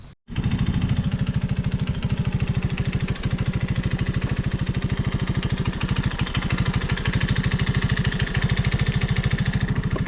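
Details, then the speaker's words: Old Honda ATC185 three-wheeler, single cylinder: a thumping idle, fairly steady but slightly uneven, the best it can be set. It shifts and starts fine; the mixture screw spec is 1.5 turns out. Rough idle. "That is about as good as I can make it idle. It's shifting fine, and it's starting okay."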